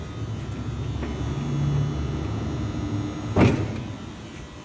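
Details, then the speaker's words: Order picker (LO class) during a pre-operational check with the lift running: steady electric motor whine at an even pitch as it rises, then a single clunk; normal lift motor operation. "Now, first thing we do is go lift these blades up, make sure they're working. Push the top button on the left hand side and up the blades come."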